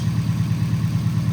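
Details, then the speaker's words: 1989 Nissan 240SX at idle, engine passed a compression test; slightly uneven thumping as one cylinder drops out, and unplugging one injector makes no change, so that injector is suspected dead. "All right. It's like misfiring a little bit. And notice that this injector, if I unplug it, see there's no change."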